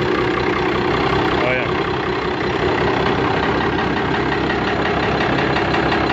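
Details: Warm 1998 Cummins 12-valve 215hp diesel with P7100 pump running with a steady clatter and a deeper rhythmic knock underneath. It has rod knock from being run low on oil.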